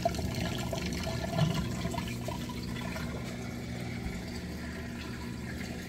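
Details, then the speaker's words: Samsung king-size-capacity top-load washer with a heavy load of towels and jackets, moving from wash into rinse: a steady low pump hum under rushing, gurgling water as the tub drains fast. A normal drain. "here draining that water out nice and fast"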